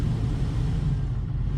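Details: Hydrema 912 cab blower, reported as having no blower or heat; blower rheostat not changing speed; steady even low rumble over machine drone, no rattles or surging; blower works, though AC not cooling with low pressure.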